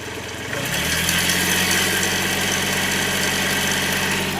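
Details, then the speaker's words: Hyundai Xcent with a replacement diesel engine, warm idle: a sharp rapid clatter over a steady hum from the fuel-rail side, louder as the engine heats. Injector or turbo trouble suspected, not confirmed. "अब सुन लेते हैं engine का sound. इधर वाली side भाई rail चली है। चुकुक भाई आई लगी ना कतर कतर कतर कतर"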